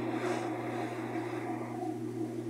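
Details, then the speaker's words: Whirlpool top-load washer after repair (tub with broken neck replaced, agitator with rotted bolt replaced), reassembled and set to spin: even low motor hum, steady pitch, no knocking or scraping; normal spin, tub turning. "ahí está haciendo el exprimido. Vamos a abrir la tapa para ver que esté girando la tina."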